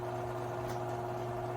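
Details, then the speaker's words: Garage door opener run right after lubricating it, in a before/after comparison. Low, even motor hum with no squeal or grinding, instantly much quieter than before: normal quiet operation. "I'm gonna lube this garage door opener, but I'm gonna run it up so you can hear it. Oh, instantly. Oh my gosh, that's so much quieter."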